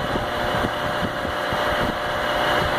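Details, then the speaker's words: Baldor CL3509 1 HP 3450 RPM electric motor after repairing its dented fan shroud; even, steady hum and whir with no scraping or rubbing, running quiet, and shuts down fast; working normally. "that's quiet that's good shuts down real fast and everything good deal"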